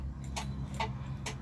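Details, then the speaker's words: Car that suddenly won't start: turning the key to start gives only a few dry clicks about half a second apart and no cranking, dash lights not flickering; loose starter solenoid cable. "Oh ya diet perhatikan lampunya ini ya tidak ada berkedip ya teman-teman cuma bunyi didemo certifect tek-tek ada suaranya teman-teman hahaha"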